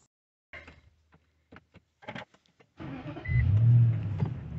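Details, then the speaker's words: Infiniti M45 V8 with aftermarket exhaust, after the vibrating aftermarket aluminum undertray issue was addressed: starts after a few clicks and settles into a smooth, quiet, even low idle with no buzzing or rattle; normal idle. "See, I told you, this engine is pretty smooth. You can hear the exhaust, which mine is aftermarket right now. But the engine itself is quiet, as it's supposed to."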